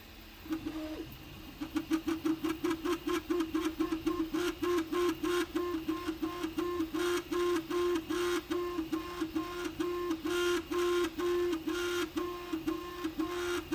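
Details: Prusa MK3S+ 3D printer: loud repeated buzzing tones around a few hundred hertz, two to three per second, each clipped off; abnormally loud movements, cause unknown.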